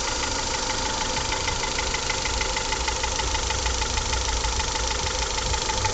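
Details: Honda Accord CF4 with F20B engine: steady idle with a light, fairly regular tapping about three times a second; knock of unknown source.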